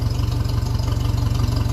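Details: 1957 Ferguson 35 TVO tractor with heat shield and underslung exhaust removed, vertical exhaust trial-fitted: steady idle with a sharp chuff each firing pulse from exhaust leaking at the pipe-to-sleeve joint.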